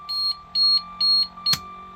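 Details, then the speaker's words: 2005 Holiday Rambler (Monaco) diesel pusher motorhome, key on and engine off: four even high-pitched beeps about twice a second from the dash warning buzzer. "so I added um I added a transmission temperature and you can hear that buzzer beeping"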